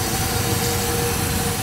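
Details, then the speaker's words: 7-1/2 gauge live steam logging locomotive, gravity-fed water valve opened then steam on: injector gives steady rushing hiss with faint even tones, no sputter, feeding the boiler normally, water level rising. "the mazing injectors are so unreliable but this one works so good it always has work"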